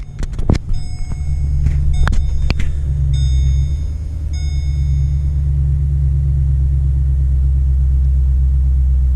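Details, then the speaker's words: 2009 Holden Commodore VE 6.0L V8 at idle: it starts normally, then settles into a shaky, uneven idle miss as rpm drops, running very rich with smoke. The cause was a broken pushrod. "So there we go, we got it started. It's just a little bit shaky."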